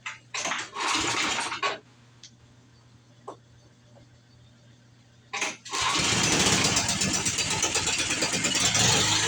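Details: Snow blower just after auger belt replacement: a few starter pulls, then the small engine catches and settles into a steady, even run with no knocks or misses; normal running.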